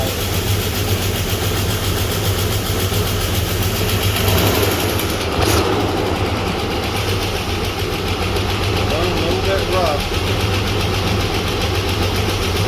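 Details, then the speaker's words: Chevy S-10 donor truck after a bad spider injector, ignition timing checked dead on, plugs and wires redone: steady, low, even idle without stumbling; oil pressure weak, oil possibly fuel-diluted, lifter suspected not pumping up. "We'll see, but I'm pretty happy with it. At least I hear it run now."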